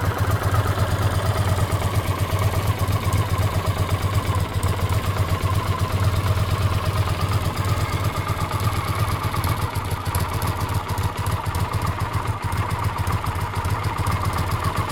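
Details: Honda CX500 V-twin motorcycle idling, with a light, fast clicking from the left cylinder head over the low beat; owner suspects an exhaust gasket, or at worst a worn cam chain; coolant also drips from a pipe joint. Clicking noise at idle.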